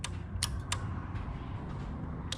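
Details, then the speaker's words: Yamaha V-Max air-shifter circuit with newly wired relays, button pressed with the shifter switch on; a few crisp, sharp clicks as the relay and solenoid snap in cleanly: normal relay and solenoid clicking. "But now when it's on, I hit the button, you hear everything clicking. The relay, solenoid,"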